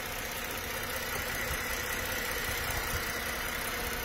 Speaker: what in the world happened there runs pretty nice